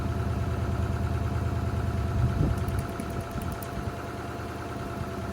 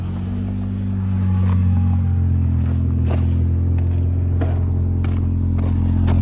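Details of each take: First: Honda Accord, lumpy idle with uneven chug and regular skipping beat; pulling plug wires one by one confirms one dead cylinder. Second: Cheap Honda Accord four-cylinder after a previously dead cylinder was fixed, all four cylinders firing, no check engine light; low, smooth, steady idle with no shake, replacing the earlier poppy idle, a normal idle.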